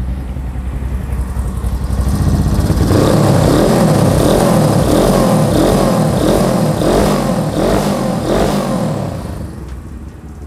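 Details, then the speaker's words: 1974 Honda CB350 cafe racer, 360 cc twin with a polished original engine: crisp, clean revving in repeated blips with no misses or knocks; slight ticking noted but considered as good as it gets, a healthy engine. "Nih, mesinnya ya kalau dibilang halus banget enggak, sedikit ada bunyinya icik-icik. Ini udah paling maksimal, udah paling topnya dah, udah paling enaknya."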